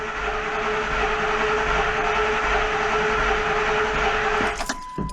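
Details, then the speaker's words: 2001 Ford Expedition XLT V8 crank-no-start: starter spins the engine at a steady, brisk rate for several seconds without firing; owner wonders about a dead battery and suspects no fuel, checking relays. "Now, if the batter is dead, then I can see why. See that? No start. Starter's going."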